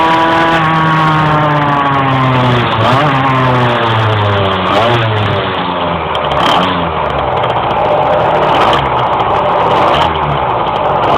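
While driving, the revs climb, sag and climb again several times, struggling to pull cleanly; the engine hesitates under load.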